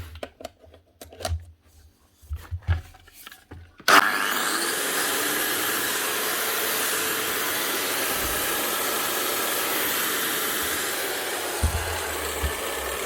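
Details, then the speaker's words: Bosch GWS 24-230 JBV 9-inch grinder after repair with a new rubberized lead and heavy-duty plug, brushes only half worn: motor spins up to a smooth, steady high whine with even load; running healthy. "One Bosch GWS 24/230 JBV 9-inch grinder. Only needed a new lead, good quality rubberized one, and a good heavy duty rubberized plug. Get her up and running again."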